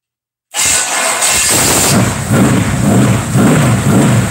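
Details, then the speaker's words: Rebuilt 327 V8 on restart: lumpy, even idle with quick throttle blips, sounding strong and healthy. "oh mama hopefully you got to hear that oh god that sounds good"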